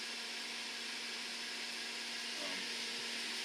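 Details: Suburban NT 24 SP furnace in a 1987 Shasta motorhome, after replacing the limit switch, sail switch and blower motor whose bearing had squealed loudly: steady airy blower rush with faint low hum, no squeal; normal operation.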